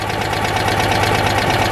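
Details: Citroën 2CV twin during MOT preparation after rear brake repairs: a steady, fast ticking knock runs over the uneven idle; something is plainly off, cause not identified.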